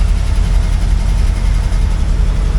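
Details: 1964 IH Travelall C1100 with new starter, running on the Scout's battery: deep steady low rumble at even idle, no misses, knocks or ticks; engine running smoothly.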